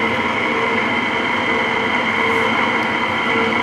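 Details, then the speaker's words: Free, non-working LG 5,000 BTU window AC running with compressor on: steady rough hum with raspy chafing hiss; fan motor bearing sounds dry and loud, white lithium grease considered. "yeah or the chafy side side yeah the motor got that got that dry shapy Baron out right now"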